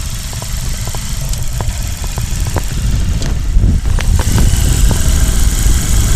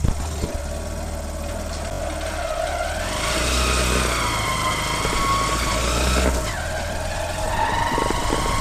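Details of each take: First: Shine motorcycle after primary gear replaced, mic near engine bottom: steady low single-cylinder idle, light valve ticking, no rattle or gear whine from primary side; earlier crack-like noise fixed, healthy. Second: Hero Shine motorcycle with rebuilt engine: idles then revs and drops back with irregular rattly crack-like crackle following rpm; worn primary gear.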